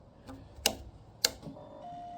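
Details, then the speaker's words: 2007 Triumph Speed Triple project bike, odometer reading "68 and change" km, battery freshly charged: with ignition on before cranking, two crisp clicks then a thin steady buzz; normal fuel pump priming, after which it starts. "There's the prime fuel pump priming. I did charge off the battery."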